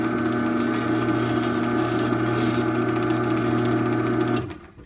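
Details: 2001 Chamberlain 7320 1/2HP chain-drive opener, whose sprocket gear was completely shot when acquired, running the door down: a steady, even motor hum and smooth chain whir, no grinding or skipping, then it coasts quietly to a stop; normal.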